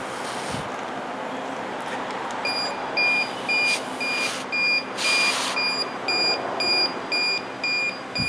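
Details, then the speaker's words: ACT 760A refrigerant sniffer at power-on self-check beside a running 2011 Volkswagen CC whose A/C blows warm after a recent recharge: steady high beeps about two per second over engine hum, rate unchanged, baseline reading with no refrigerant detected. "So it beeps, does some kind of self-check. I don't know. And it should turn on."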